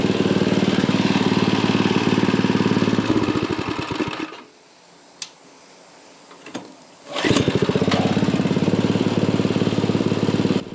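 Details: Craftsman dual-tine tiller, 9 ft-lb LCT engine, after repairing mouse-chewed ignition wires, spark plug refitted, air filter off: runs, cuts out briefly (choke accidentally hit), restarts and chugs at steady even beat; running properly now.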